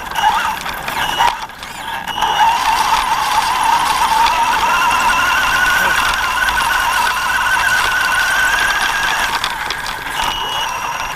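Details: Axial Yeti RC truck driving (FPV): thin, wavering high squeal with faint rubbing after the front left tire hit a tree; owner suspects a squeaky bearing and possibly something bent.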